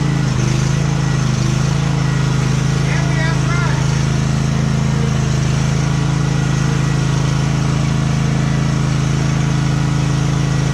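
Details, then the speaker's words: Used Husqvarna YTH1542XP riding mower, only gas added: steady low thumping sags and labours within seconds of engaging the PTO; deck seized in some form, belt starts burning. "so if you're listening right there you can immediately hear the engine bog and everything within seconds of hitting that PTO so we know that the deck is seized in some form"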